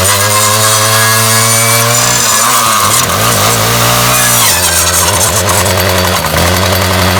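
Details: Ryobi 705r 31cc 2-cycle line trimmer, head won't spin after 10–15 minutes' use with a brush cutter: revs rise and fall freely with throttle, with a rattle. The drive has broken, most likely the drive cable.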